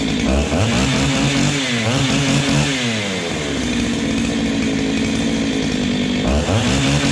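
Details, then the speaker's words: Ported Husqvarna 385XP two-stroke chainsaw with aftermarket 390 piston and cylinder, first cold start, unloaded: revs up and drops back cleanly on light blips, no bogging or misfire; healthy. "so she sounds pretty good boys I've just been running her lightly like that you don't necessarily have to rev it right up in it because it can be hard on it"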